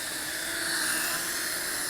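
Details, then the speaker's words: Holy Stone HS340 micro drone with prop guards, flying indoors late in a long flight; steady high-pitched motor whir with no dips or stutters. Motors running normally and efficiently. "I'm really surprised how long this thing flies. That's very long. Very efficient motors."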